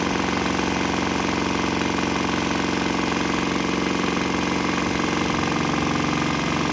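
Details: Swan X 165F Chinese single-cylinder diesel on a shipping crate, vibrating heavily, running on used canola fryer oil; steady even thump about two beats a second, unbroken; normal running on waste vegetable oil.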